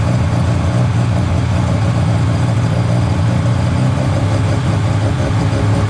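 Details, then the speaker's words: Mazda 13B rotary on EMPI IDA carburetor, after replacing the fuel regulator that wasn't holding pressure: regulator set from about 2 to 3.5 PSI while running and holding steady; even low burble at idle, no stumbles or surging. Normal idle. "okay so uh that fuel rig's all good now um it's holding really steady pressure around 3 and 1/2 PSI"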